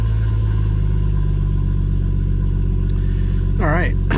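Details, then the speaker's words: 2017 BMW M240i xDrive B58, 8-speed, just started after Bootmod3 flex-fuel sensor kit install; a loud, deep, steady fast idle with no knocks or misses; it started without problem, with the exhaust valve about to close. "so as you can see and here it started up no problem it's idled down a little bit it's going to get quieter the exhaust valve is going to close in a second and then it's you're not going to hear it at all"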